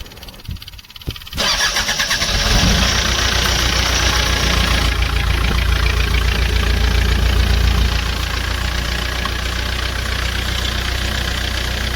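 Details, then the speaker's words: Bobcat diesel loader that had no start because its fuel pump wasn't working; after replacing a blown 15-amp fuse the pump runs: a short crank, then it catches cleanly into a steady, even idle; starting normally. "बंद कर कर start कर फिर सही हो गया"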